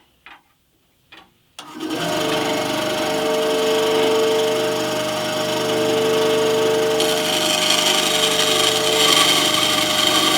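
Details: Scheppach HBS20 band saw test cut after upgrading the blade (1400 x 1/4 x 6) for hardwoods and adjusting: after a couple of clicks spins up to a steady hum with smooth cutting hiss; cutting cleanly, drift much improved.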